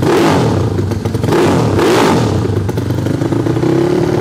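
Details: Yamaha Fino scooter rebuilt as a 200cc race engine for the 200 class, total-loss electrics with charging removed: loud, raspy single-cylinder bark with quick throttle blips, no knocks or rattles; healthy.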